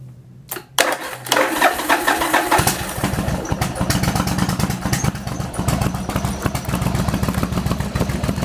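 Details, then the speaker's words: Yamaha Virago XV1100 V-twin: it starts and after a while coughs and splutters on one cylinder with an uneven beat. Charging read 13.6 V at idle, dropping to about 12.5 V when accelerating, and it was fixed by replacing the regulator rectifier. "after a while it starts to coffin and splutter through one of the cylinders"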